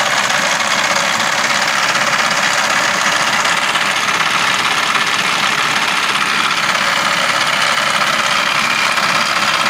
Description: Noise when aircon turned on